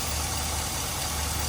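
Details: Chevy truck with lean codes at idle: a constant airy hiss over the engine note from a split vacuum hose. Spraying brake cleaner drove the fuel trims negative, and the hose was replaced.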